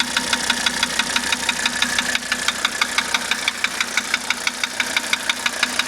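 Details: 1985 Mercedes 300D diesel idling after starter rebuild, valve adjustment, new glow plugs and diesel purge: sharp metallic ticking about three times a second, very even; knock with no clear cause.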